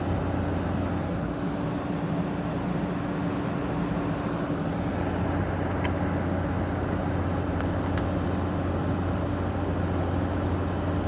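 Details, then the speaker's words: GE 5050 BTU window air conditioner made in 2016 (built by Curry), running steadily and quietly with an even low hum and airy rush, no rattles or surging; blows 48-degree air, normal running. "okay works pretty good for a modern unit this thing will blow out 48 degrees which isn't too bad for something modern"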